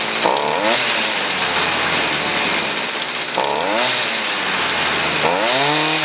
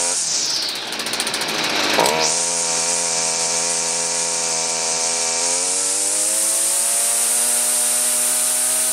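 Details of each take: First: Stihl FS38 two-stroke string trimmer running with no trimmer line fitted: buzzy revs climb in quick surges and settle unevenly; it runs a bit off only because the line is not loading it. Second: Stihl FS38 two-stroke grass trimmer, after carb adjustment and with trimmer line refitted: a sharp start, then a steady high buzz that settles and holds even with no surging or bogging. The engine runs healthy.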